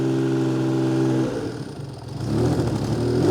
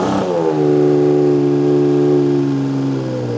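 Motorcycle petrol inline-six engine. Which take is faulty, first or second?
first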